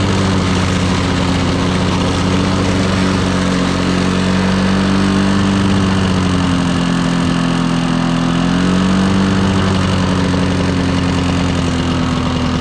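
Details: Lawn-Boy 10550 two-stroke push mower with an all-plastic carburetor and an air-vane governor: steady buzz that sags and wavers instead of holding crisp high speed. It is not reaching full RPM despite full throttle travel; suspected dirty carb or unknown adjustment screws.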